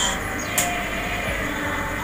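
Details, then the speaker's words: Electric fan upgraded with a bearing on the shaft and a custom bearing seat, running on speed 3: steady, even high-speed whir with no knocking, grinding or wobble; fast and very smooth after the bearing fit. "Lihat, ini kecepatan speed 3 nih. Dia putarannya pun kencang dan memang sangat halus."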